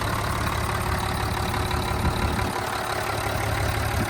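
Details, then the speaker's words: 1995 Mitsubishi Fuso FH100 truck, 5.0L turbo inline-6 diesel, 116,440 miles: steady, even idle with low regular chug, no knocks or misses; engine sounds good. "And here is that 5.0 liter inline 6 diesel engine. Mitsubishi engine."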